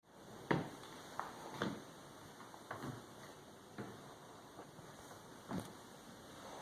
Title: PC Clicking Noise, Lights Flickering